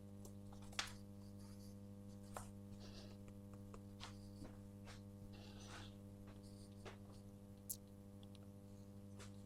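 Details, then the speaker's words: Vacuum tube Columbia amplifier with bias tremolo, 50 Hz mains: steady low hum near 94–100 Hz rectified hum, faint buzz and stray clicks; cause found as a poorly chassis-grounded filter capacitor. "So on the F&T plot, we've got a hum at 94 hertz. So that's rectified hum. So main's frequency is um 50 Hz. So double that being 100 Hz."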